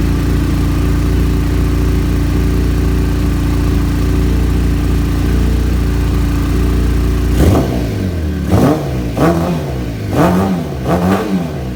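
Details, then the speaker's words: Kawasaki ZZR600 streetfighter with ram air removed and Supertrap exhaust: steady, even idle, then four crisp throttle blips rising and falling cleanly; owner says it still pulls and rides great; healthy. "But I'll turn it on real quick so you guys can hear that, you know, everything, for me at least, sounds pretty good."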